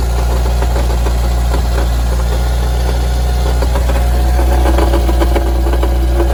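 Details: Mitsubishi Evo engine at idle: heavy, uneven low knock and rattle, felt at the oil pan bottom, quieting sharply with clutch depressed; balance shaft belt and rod bearings new, accessory belt removed, pan clean; cause found to be a wobbling flywheel.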